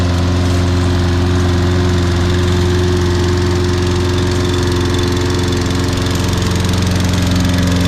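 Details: Toro Recycler 22-in model 20334, 190cc single-cylinder, electric start, auto choke, just after a January cold start. Steady, even drone with firm low beat, no misses or knocks; running cleanly and healthy.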